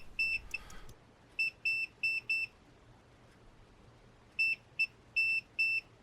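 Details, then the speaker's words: Untested eBay board with a broken trace repaired by scraping off the solder mask and bridging the gap with solder, on the second attempt: short, sharp high beeps as the probes touch. The repaired trace now has continuity. "okay, well, we have continuity now."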